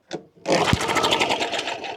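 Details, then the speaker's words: Long-unused push mower started on starter fluid: engine catches and runs ragged, smoking, for a couple of seconds then dies; fuel tank completely empty. "Sounds like Oh, there is no gas in it like at all. Might help if I add some."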